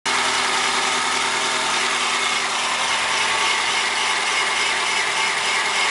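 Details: 1997 Chevrolet Corsa 1.0 MPFI at cold start: steady hissy scraping chirp over idle that goes away once the engine warms up; source not pinned down.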